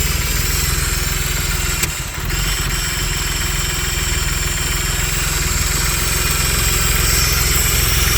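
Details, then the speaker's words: Stage 3 Audi Allroad rough, erratic idle from a vacuum leak: a vacuum hose left disconnected and open gives an uneven, hunting idle with a hissy edge; reconnecting it fixed it, with no misfires afterwards. "I found out what it was there was a vacuum hose right here that I forgot to hook up so it was just all open so that's why I was running real erratic"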